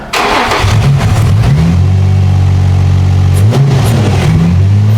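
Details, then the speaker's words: 2004 Infiniti G35x with used ECM, keys reprogrammed; engine wouldn't take throttle, so MAF sensor unplugged: cranks, catches quickly, settles into fairly steady idle with slight hunt running on backup values; confirms MAF sensor fault, debris suspected. "Let it idle. So we got a MAF issue for sure."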